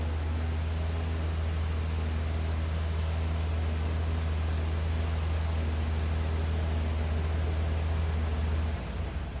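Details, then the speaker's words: 1961 Plymouth Belvedere 4-door sedan: low, even hum holding steady, no knocks, misses or wobble; smooth, quiet normal idle you barely hear. "Sounds pretty smooth and quiet. Like I said, you barely hear that thing run."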